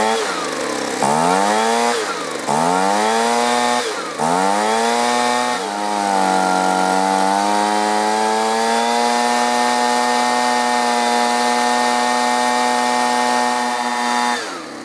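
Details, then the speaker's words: Two-stroke leaf blower stored over winter with year-old fuel, after opening the low-speed carburetor screw about a half turn: surges and sags before settling into a high whine; adjustment screws not helping, carburetor to be cleaned. "ah well that's just not running quite right the adjustment screws aren't doing exactly what they're supposed to"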